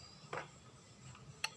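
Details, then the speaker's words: 1000 W dry iron under repair, 250 V 10 A adjustable thermostat tested with multimeter: two sharp, dry clicks about a second apart as the control is turned; contacts open and close properly, thermostat is good. "ඔන්නුනා ඒ අනුව තාපය නිවැරදි ස්ථානට ආපු ගමන් මේකෙන් ටක් ගාලා මෙහෙම ආයි මේ විදිහට කඩලා දානවා."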